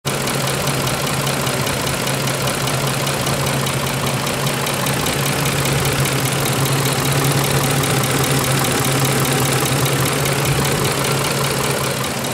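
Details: 2004 Ford F150, 5.4 3V Triton, 104,000 miles, before repair: steady idle with hard diesel-like clatter about two to three ticks per second from worn cam phasers; new VCT valves didn't help, replacing both phasers with Ford parts silenced it.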